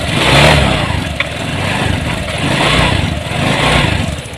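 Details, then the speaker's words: Honda Vario 150 scooter pushed in after being dead three days and often stalling: uneven revving with faint crackle and stumble as the spark plug cap shorts to the body and leaks spark. "jadi motor ini itu businya yang sudah bocor"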